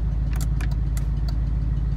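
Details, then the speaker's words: 1992–96 Ford F150/Bronco electronic 4x4 module at idle: a few light clicks as four-wheel drive disengages, the module signalling the transfer case; normal, without clicking the module is suspect. "it has to make that clicking sound if you could hear that that is it telling the transfer case what to do it does not do that chances are it's your four wheel drive transfer case computer module whatever they call it so"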